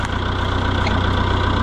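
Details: Oliver 1365 diesel tractor idling with a new fuel pump and good filters, replacing the original pump after it quit in the field: deep, even idle with a steady low thump, no misses or hunting; normal idle.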